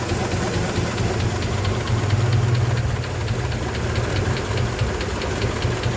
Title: help me ticking noise honda 88